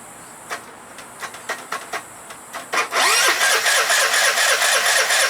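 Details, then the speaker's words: 2012 Piaggio Typhoon 125cc scooter, carb refitted with new fuel line and filter, jumper cables from another battery: slow, uneven starter cranks for several seconds before it catches, needing throttle to start; hard starting from incorrect carburettor float level. "Give it some gas. See, that's what I've been having to do is give it gas to start it. And I shouldn't have to."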